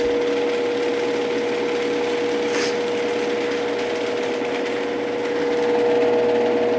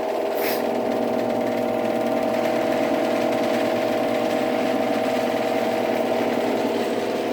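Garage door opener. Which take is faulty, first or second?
first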